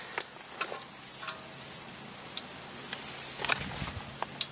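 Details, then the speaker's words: Electric fence energizer newly wired and plugged in under a protective tub; faint loosely regular ticks through a loud steady hiss show it pulsing and working, but its light is weak, suggesting the fence line may need checking. "you can hear it's clicking so it's working it's not light enough though"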